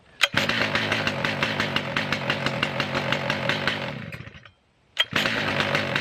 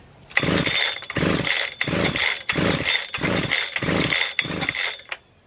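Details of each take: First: Stihl MS 881 Magnum chainsaw, warm: fires on the first pull and settles into a crisp, even buzz, then restarts instantly on one pull after stopping; easy to start cold and hot; normal start and running. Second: Husqvarna 3120 XP chainsaw, choke pulled out: six short rasping pull-start bursts about 0.7 seconds apart, never catching; gasoline all over it, flooded engine.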